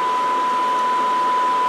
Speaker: ARP squelches off. ARP gains wide open. You can see. Why don't you hear it again? And you can hear the noise.